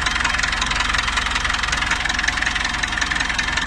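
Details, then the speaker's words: Dodge Ram 4D56 diesel on its first start after a timing belt job, cylinder head not removed; steady even clatter at idle with the air conditioning apparently on, no misses. Some noise expected to fade with running. Normal diesel idle. "So, medyo ano siya. Mawawala din yan yung ingay. Pag tumakbo ng matagal. So, unang andar pa lang."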